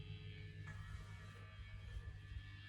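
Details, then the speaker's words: Les Paul guitar through a JCM 800 with the gain on 10: constant low buzz with a faint steady hum, electromagnetic interference in the room; touching the strings or lowering the gain reduces it, and so can finding a sweet spot in the room. "but electromagnetic interference is all around us all the time, and you can actually alleviate excessive noise by finding the sweet spot in the room."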